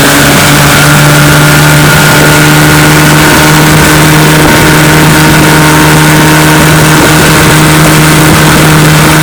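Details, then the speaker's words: Restored 1955 Johnson Seahorse 10 hp outboard with rebuilt ignition, carburetor and lower unit, on a lake test pushing a 14 ft john boat about 18 mph: loud even two-stroke drone without misses or rattles; normal running under load. "he pushes my john boat my 14 foot john boat here about 18 miles an hour which is awesome for 10 horsepower"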